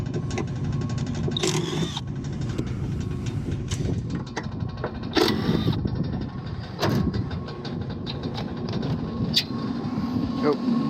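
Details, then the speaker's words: Rooftop (RTU) HVAC blower before repair: steady fan rush broken by irregular heavy thumps and knocks; blower wheel wobbling because its bearing housing was held by only one bolt with the other holes stripped. "Could be anything. Could be a bad wheel."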